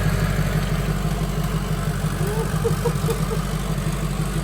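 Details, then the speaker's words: Freshly built diesel in a mud truck just after first startup and restart: deep, even idle with a steady low thrum and no knocks, misses or rattles, running good with no major leaks; normal idle. "oh it's running good too no major leaks yet everything's pretty"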